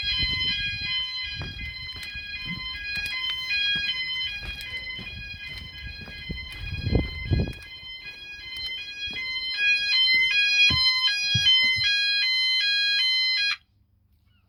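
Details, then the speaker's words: E.M.S. FirePoint System 5004 house fire alarm, smoke detector triggered, setting off all sounders and standalone smoke alarm: loud piercing rapid beeping about two per second, stepping in pitch, then cut off; smoke alarm sounding. "oh no it has got it so that triggers every alarm sound of the race obviously that one's going as well"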